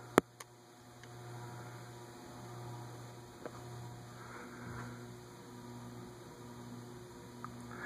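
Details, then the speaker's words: Evergo Emperor "The Roma" variable-speed ceiling fan hung on a J-hook with no vibration isolation or rubber flywheel: low steady hum with no change in pitch; metal-on-metal motor hum transmitted through the mount. "it does hum a little bit but it doesn't sound like variable speed hum it just sounds like metal on metal hum again it is on a j hook with no vibration isolation"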